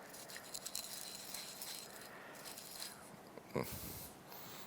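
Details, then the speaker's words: Yamaha YXZ1000R engine teardown before turbo install: hand-spun bearing with water past the seal, rusted inside, gives a dry, gritty rattle instead of a smooth whir; to be replaced. "so it was actually caught it made it past the seal but didn't M make it past this o-ring just strange to have a rust that low down in the engine"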